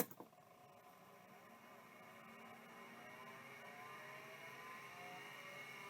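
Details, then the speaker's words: Early Seagate ST213 vintage hard drive on power-up: the spindle winds up with a rising whine into a steady high hum, with one quick seek click because it is already over cylinder zero. The drive sounds healthy and working. "yeah I think that one was working let's try it one more time yep I think that's working it did just a fast seek so it's already over cylinder zero"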